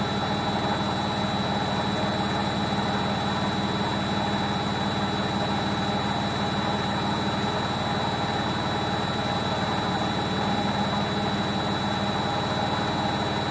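Heavy steady roar and rumble all through the high-speed spin, loud and unchanging, pointing to worn drum bearings.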